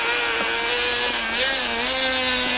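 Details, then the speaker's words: Small engine in an E-POWER hybrid RC drift car driving a generator at constant revs; loud steady high buzz wavering slightly in pitch, very noisy and inefficient, current seemingly insufficient, cause not confirmed. "Çok ses yapıyor ve çalışmıyor. Motor duruyor ve motorun dönüş hızını değiştiriyor dolayısıyla bir miktar hızlanıyor ama verimi iyi değil."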